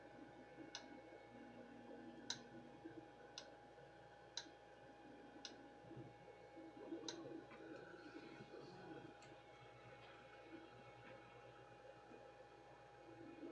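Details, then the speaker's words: Creality CR-6 MAX 3D printer, newly unboxed and self-assembled, running: quiet hum over a faint steady drone, with sharp isolated ticks about every second at irregular spacing. Source of the intermittent knock not yet isolated. "thank you now what is this noise I'm hearing y'all hear that knocking"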